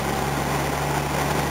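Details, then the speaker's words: Volvo at idle on road test after cooling fan work: steady idle with a faint, occasional stumble, not on one cylinder, persisting with air con off; misfire traced to a loose injector earth. "got this annoying little misfire I got to find not on one cylinder just cut that all together so do something ignition module or injector module or a bad Earth"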